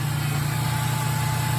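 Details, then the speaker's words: Ford Transit with wrench warning light, just after throttle body replacement, started to run about 15 minutes for idle relearn: steady low hum without stumbling or surging; normal idle. "Now what we're gonna do, and I'm not gonna keep this running the whole time, we're gonna start it up. And we're gonna let it run for roughly 15 minutes."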